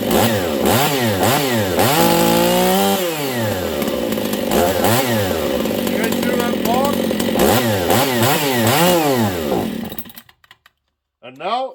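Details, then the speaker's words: Husqvarna 268 chainsaw, open port, on bench; repeated blips at about four a second, stumble at bottom and leanness at top, then loses throttle and shuts off completely: lean stumble and stall, air leak suspected versus carb issue. "listen again for that little stumble at the bottom and then the leanness at the top this is important stuff"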